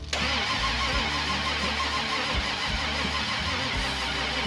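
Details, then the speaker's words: 1987 one-ton dually with a Holley: steady, even cranking with good compression but it never fires; the ignition light doesn't blink, so no spark, distributor suspected. "Okay, we might could not have spark. Someone's got to watch this light. See if that blinks. >> No blinking. Well, unfortunately, we do not have lightning. We don't have any spark."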